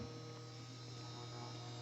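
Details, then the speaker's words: Newly installed Frigidaire 30-inch induction cooktop heating a pan of water: a steady low electrical hum with a faint higher whine, plus a little zapping from the water under the pan. This is a normal induction cooktop hum. "that little zapping sound that you're hearing that's the sound of the water underneath here"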